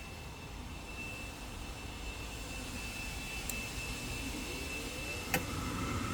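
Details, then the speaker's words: Goodman package unit with newly installed inducer motor: smooth steady whoosh with faint constant high tone, no rattle or scrape; sounds much better than before, though burners don't come on (possible flame sensor issue). "Oh, it sounds so clean."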